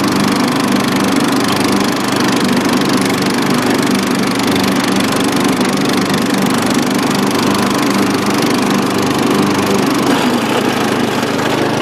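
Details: Dynamark riding lawn mower after carburetor cleaning, driven outside to test the long-unused deck: even, steady drone at constant speed with no knocks, misses or grinding from the deck; runs healthy.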